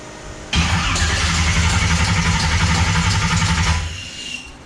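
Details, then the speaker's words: Bouncin' Bette with MSD Atomic fuel injection on carburetor-style throttle body, mixed injectors, fuel now flowing from all four venturis: brief crank, catches, runs rough and uneven, sags; hard start needing a little throttle input. "Of course, needs just a little bit of input."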